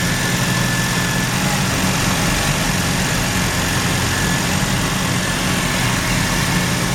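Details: Mazda RX-7 rotary, failed annual inspection with very high CO (2.70): loud low idle rumble with uneven shaky beat; misfire worst with slight throttle; no oil pressure shown, no leaks; ignition leads already measured; rough idle, cause not yet found.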